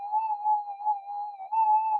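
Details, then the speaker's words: Minelab GPX 5000 metal detector indoors, mono mode on a cancel coil, gain 20, during frequency scan: wavering warbling mid-pitch tone never settling quiet; heavy electrical interference despite upgraded components. "let's do a frequency scan Jesus you can hear all that noise um there's buckets of interference"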